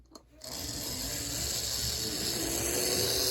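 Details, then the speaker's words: Tyco 460 model locomotive: thin high buzzing whir with rough gear chatter about three pulses a second; owner suspects it needs fresh oil; noisy gear drive. "so next up is the Taiko 460 which I have lower hopes for I guess it does rum definitely need some fresh oil though"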